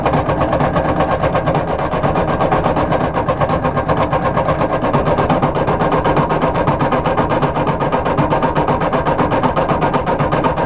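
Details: 1953/1954 Ford Golden Jubilee NAA tractor, sat over 20 years, 6-volt starter on 12 volts: even cranking about four beats a second for ten seconds, no firing. Good spark and fuel at carburetor; owner suspects oil-soaked plugs.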